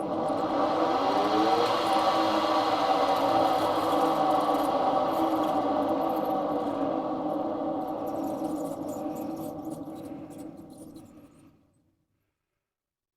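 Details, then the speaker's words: Goodman furnace with pressure switch fault: inducer motor whirs roughly, drones unevenly, then coasts to a stop, often stuck and failing to turn; bearings sound worn, capacitor not ruled out, replacement motor ordered. "see how it wants to turn but it doesn't so what I did was I come down here and I tinkered with it it sounds like the bearings in that thing are pretty well nuked"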